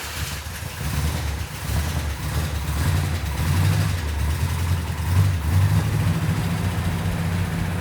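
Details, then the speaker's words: Freshly finished car engine after fixing a leaking fuel sending unit gasket and setting the timing: deep, lumpy idle with a steady rumble and a faint occasional miss; the engine is running well. "set the timing hit the key magic when mark got it started it sounded really nice i couldn't even hear it"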